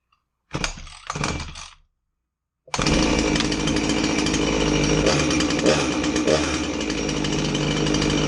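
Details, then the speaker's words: Husqvarna 350 chainsaw that wouldn't start, after replacing a fuel line that had a hole in it. It fires up after a short silence and holds a steady, even buzz with no stumbling; it runs well. "all right it didn't run too bad all it needed was that hose"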